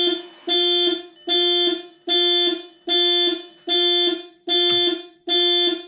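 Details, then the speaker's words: 2000 VW GTI Mk4, 237,000 miles, first key turn after engine project: steady repeating high two-tone alarm bursts; one key fob faulty, security issue cleared by unlocking trunk with key; alarm triggered by anti-theft system. "so the guy i bought this firm did warn me that this one key fob doesn't work and that sometimes there's a security issue and it can be resolved by using the key to unlock the trunk"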